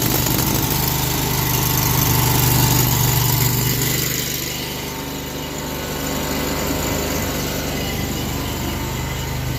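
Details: Pressure washer small engine on soft wash box truck, prepared for winter washing: catches at once, settles into steady, even buzzing run with no misses or knocks; normal start.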